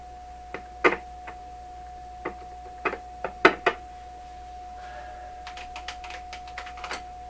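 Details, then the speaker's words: Pye Columbia Stereo 360 amplifier under repair, running and checked for sensitivity after a transistor ran hot: irregular sharp clicks and crackles over a steady mid-pitched tone, an intermittent noise that keeps returning despite earlier fixes. "Just get the impression that there's more clicking than that."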